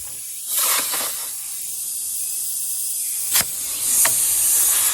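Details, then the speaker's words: Truck tire punctured by a rusty screw, leaking down fast as the screw is pulled and a reamer is worked into the hole: sharp, steady hiss rising in bursts. Tire air leak before plugging. "The first thing I do, you can tell my tire leaking down fast. Pull the screw out or whatever's in your tire and stick that reamer in the hole."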